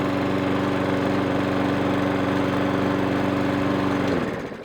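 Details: Briggs & Stratton engine on a 500E lawn mower, fully serviced after hunting and surging, running without the drive engaged: steady, even idle with constant pitch and no hunting before shutoff; normal idle.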